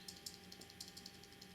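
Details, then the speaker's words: Armando Simoni Club Gladiatore Medio fountain pen: faint quick tinny ticks, five or six a second when shaken, from the clip rattling loosely on the cap. "Well, there's two things that I am not a huge fan of. One is that the clip rattles a bit."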